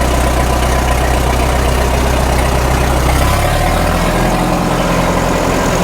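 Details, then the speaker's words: 1936 Caterpillar Twenty-Two after sitting for years, magneto previously not sparking, clutch not releasing so not driven; low, even chuffing idle settling to a slower beat, no stumble on a blip, carburetor needs no adjustment; normal idle. "I don't even think we have to adjust that carburetor. No, it sounds good."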